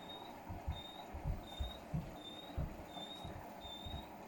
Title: Why is my Hotpoint making really bad squeaking noises!?